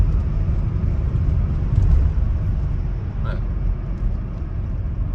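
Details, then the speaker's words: Volvo V70 on an uneven country road after replacing a rattling front strut top mount (Domlager): only steady low road rumble, no knocks or rattles; the earlier clatter over bumps is gone, suspension quiet. "ich finde das ist jetzt weg also doch ein richtiger Tipp ich strecke gerade ziemlich uneben vielen"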